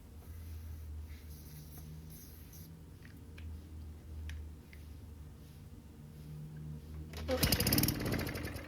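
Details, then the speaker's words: Free Yard Works mower, Tecumseh 4.5 hp: bursts into life for under a second on ether and falters; spark and compression are good, so fuel starvation from the carb. "So now I just cleaned the carb out and it still wasn't running. So I knew it was carb related."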